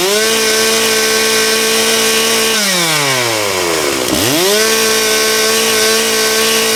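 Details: Stihl MS660 chainsaw after a clutch repair, cutting wood, possibly ash: a steady high-rev scream that drops smoothly as the chain bites, then climbs cleanly back. It pulls strong and the chain did not come loose. Normal cutting.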